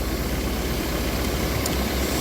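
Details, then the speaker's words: Mercedes-Benz C-Class W204 220 CDI coupe blower motor, previously not working, running after refitting the fuse housing, still tucked in its hole: steady whooshing airflow with even low hum, no rubbing, ticking or squeal; runs normally. "And nothing's going to come out of there, but you can clearly hear that's working."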